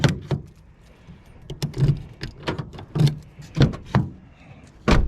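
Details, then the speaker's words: Toyota FJ Cruiser after replacing door handles with matte black OEM ones and fitting blackout mirrors: power door locks, including the back door lock, cycle with sharp crisp mechanical clunks in bursts, no grinding or buzzing; locks working normally. "I can hear the locks, even the back door lock on here when I turn that one."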